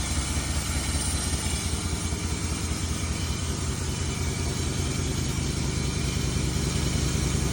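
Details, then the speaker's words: 1994 Chevy Silverado C1500 5.7L 350 V8 idling in reverse with foot on brake, after fuel filter, lines and sensor replacements: steady low rumble with no misses, stumbles or vibrations; AC compressor audibly noisy. "motor's nice and steady look at that no vibrations"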